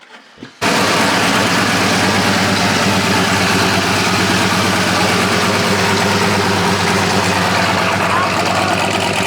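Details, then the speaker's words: Chevy/GMC Sierra truck with an aftermarket Hellcat fuel pump fitted: it runs loud and rough with a fast, diesel-like rattling knock at idle; owner suspects injector knock from too-high fuel pressure and plans to refit the stock pump. "Sounds like it's diesel. I think it's injector knock. Coming from too high a fuel pressure."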